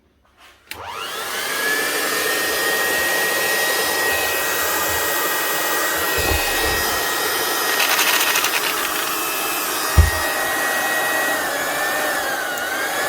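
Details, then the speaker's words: Old Metabo drill driving a handheld plastic extruder whines steadily with no load or drive; the low-speed gears are stripped or worn in the head, so the output isn't turning. "ah there we go all right she's not driving she strapped something and it sounds like it's down in here in the head of the metab"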